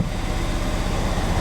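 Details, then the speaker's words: Stolen-recovered Ford Fiesta ST180, codes cleared after swapping 1↔2 and 3↔4 to see if misfire on cylinders 2 and 3 moves: uneven, lumpy idle with dropped pulses; engine still misfiring. "It's obviously missing again, you can tell. But we know it's going to miss, we just want to see if the fault changes."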